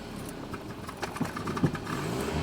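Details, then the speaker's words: Mercedes W124: idles but when throttle is pressed it sputters, surges and struggles, revs failing to build cleanly, does this all the time; hesitation and cutting out on throttle, cause unknown. "Do you see how she starts to cut off? Look at this. I'm pressing the throttle. Now she was able to increase the RPMs, but now you can hear the way she struggles."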